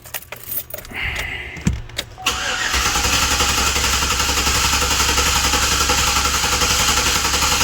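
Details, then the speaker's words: 2012 Chevrolet Silverado 5.3L V8 with P0300 random and P0301 cylinder 1 misfire codes, cranked in clear-flood mode: even steady beat about four pulses a second, not a compression or mechanical problem; normal cranking. "sounds good to me definitely not a compression problem or a mechanical problem"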